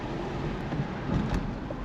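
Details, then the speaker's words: Rusted 2011 Kia Sorento road test after replacing worn rear wheel bearing hub assemblies, parking brakes previously deleted: steady low road and cabin rumble with no grinding or helicopter droning from the rear. "I don't hear the grinding sound nice that's cool no helicopter noise"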